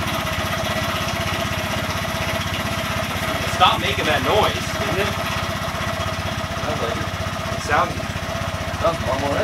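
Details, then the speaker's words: Honda Grom single-cylinder after rebuild (new piston, head, cylinder, high-flow oil pump), first start: small single thumps at a quick even idle with a few throttle blips, smooth and steady; healthy idle. "work now sounds quite sounds really good [Applause] sounds pretty good"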